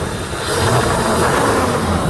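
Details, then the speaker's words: 1967 Chevrolet El Camino, 400 small-block V8 with tuned port injection, AFR aluminum heads, MSD ignition and Flowmaster 50s (possibly 40s) exhaust, idling; a deep, steady, mellow rumble with no ticking or knocking. Responsive, with no smoke or smells, a normal idle. "Motor runs good and it's very responsive. MSD ignition as well. Go around back, no strange noises, no weird smoke, no smells. It's got a nice mellow sound."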